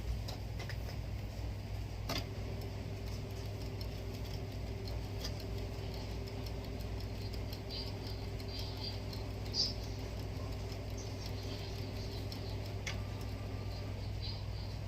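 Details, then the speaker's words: Canon G series printer with its purge unit, after warming up: low steady motor hum with soft irregular ticks as paper feeds in and comes out, a normal print, though not at optimum level given the purge unit's condition. "you can see the the paper is going in and there's paper coming out all right yeah from here you can see it managed to print"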